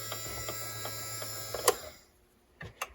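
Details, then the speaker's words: 1961 RGM Model 510 reel-to-reel tape recorder after oiling the motor: even low motor hum with light regular ticking about three a second, speeding up, then a click as it stops; motor running freely. "Oil makes a big difference, doesn't it? Hear the motor speeding up?"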